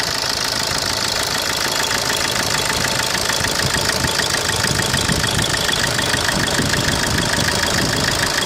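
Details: 2010 Opel Corsa D 1.3 CDTI diesel at idle: steady fast ticking knock about three per second over engine hum; abnormal engine noise, cause unclear.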